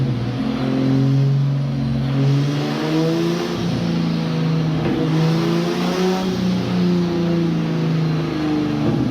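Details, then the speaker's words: Engine freshly built for about 420 hp, turbocharged, with intercooler piping and a flex-fuel sensor, on the dyno on an old, mismatched tune: strong, steady, crisp high-compression note pulling cleanly under load, no knocks or misses; healthy engine under load. "so the engine sounds really really crispy that high compression like"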